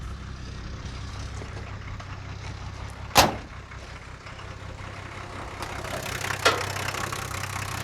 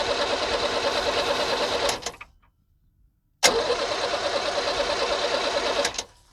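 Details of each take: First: 1978 International Scout II with Nissan SD33 factory diesel, sitting about 20–30 years, now running; steady, even low diesel clatter at idle with two stray thumps from around the truck. Normal idle. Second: 1978 International Scout II with Nissan SD33 diesel, sat over 20 years, cranked with an injector line cracked: two steady cranking bursts with no firing and no fuel spitting; injection pump not delivering, possibly clogged filters or rack not engaging.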